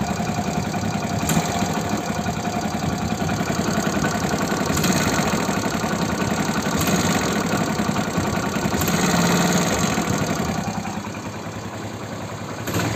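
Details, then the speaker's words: Hero Splendor Plus single idling, giving a sharp puff with a whistle-like sound of air escaping from the engine on each quick throttle blip. The cause was a leaking cylinder head O-ring, needing the head opened. "जैसे ही मैं झटके से race देता हूं ना bike की वैसे फट फट करके आवाज आती है मतलब हमेशा आती है यह आवाज"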